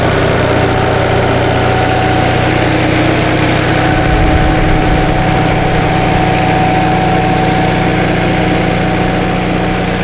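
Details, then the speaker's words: 1945 Onan generator after fuel pump rebuild, around 1000 W load at 60 Hz: even, steady drone holding speed with no knocks, misses or hunting. "it's a nice sounding unit let's go ahead and give her a full load"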